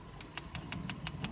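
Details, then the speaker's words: Vermont Castings gas grill igniter module after cleaning its wires, with a new igniter and fresh AA battery, gas connected: sharp, evenly spaced clicks about six a second, normal igniter sparking before the burners light. "So, I cleaned all those wires. Got that cleaned up and working now. You can hear it clicking maybe."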